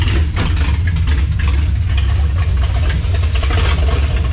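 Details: 1967 Dodge Charger V8 with 727 transmission, restarted after first fire-up: catches and settles into even idle with no misses or knocks; normal running.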